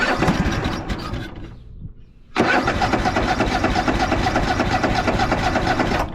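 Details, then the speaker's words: Craftsman DYS4500 riding mower, 26 hp Craftsman Courage engine, sat over a year; starter grinds engine over, pauses, cranks again with no firing; fuel starvation, owner suspects fuel pump not delivering fuel. "contact might have to check the fuel pump and see if we're actually getting fuel up to the front."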